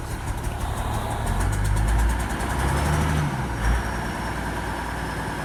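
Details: Toyota Land Cruiser HDJ81 diesel with rough idle and smoke: low idle with an uneven, lumpy beat surging and sagging over a few seconds; cause not evident.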